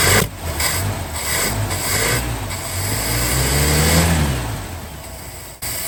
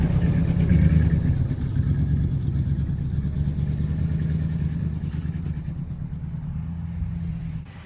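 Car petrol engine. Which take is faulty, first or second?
first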